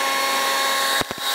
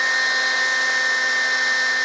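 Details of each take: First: DeWalt DCBL720P1 20V brushless handheld leaf blower at full speed during sound-level test, SPL meter around it reading about 90–93 dB: loud steady high rushing whine, a few thumps as moved; running strong and normal. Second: DeWalt DCBL720P1 20V brushless handheld leaf blower, battery-life test with large battery, held by a brick, nearing 22 minutes: steady high fan whine sags and briefly drops out as tone changes; battery nearly depleted, motor slowing before cutoff at 21:47.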